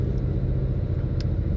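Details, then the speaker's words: 2017 Mustang GT (S550) from the cabin on a bumpy road, about 150 miles after fitting BMR's updated toe rod ends and an alignment, replacing a bad-batch noisy set: steady low road rumble, no clunks or knocks over bumps; suspension quiet. "This road here coming into my complex is like bumpy as hell. I just... Look at that. I got nothing."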